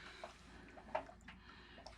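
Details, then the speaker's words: Taco 007 hydronic circulator pump just after cartridge replacement (O-ring sealed), refilling with the pump unplugged: faint soft gurgles and small drips as water refills the pump body, no leaks and no mechanical noise. Normal refill gurgling. "And I can hear the water gurgling going in there. Don't see any leaks."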